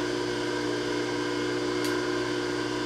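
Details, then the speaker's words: Bridgeport J-head mill after locked sheave repair and new belt, motor refitted, 3-phase: steady even spindle hum, smooth constant tone, no knocks or rubbing; brake works, everything functioning. "all right guys here we go brake works looks like everything's functioning"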